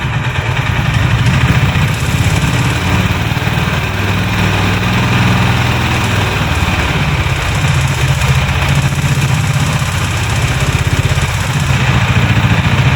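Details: Honda Highness CB350, noise appearing after first service, recorded at dealer: at idle a harsh, rapid clatter over the low engine thump; engine/cylinder seizure later named, dealer opened engine, cause not confirmed here.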